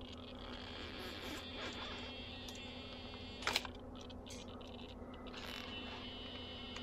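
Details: RC car steering servo with the ESC and battery connected: faint irregular clicking and short buzzy bursts as it hunts around center and won't settle near center. The chatter persists when the wheels are moved by hand, and the servo is not hot.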